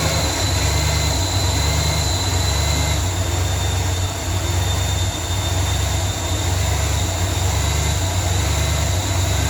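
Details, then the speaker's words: 1994 Ford F150 (OBD1) after replacing the engine temperature sensor to cure erratic running: low heavy idle rumble that wavers and surges unevenly; erratic idle persists, cause not yet found. "Still sounds like it's got a little bit of an erratic idle, but the truck can sometimes take a minute to figure things out."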